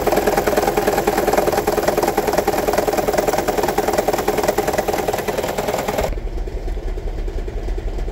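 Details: 2009 Toyota Prius 1.5 hybrid petrol engine idling with a heavy, uneven rattle and regular stumble; code P0304, cylinder 4 misfire; one spark plug shorted, low cylinder 4 compression; fixed by replacing spark plugs.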